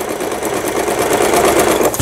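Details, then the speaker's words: Lion Mising–sold Janome SS308 sewing machine from 2011, after repair with upper thread tension set between 4 and 5, zigzag stitch; quick even stitching chatter with steady needle rhythm, no knocks or catches, sewing cleanly. "이게 맞지 않으면 안 됩니다. 지그재그 바느질."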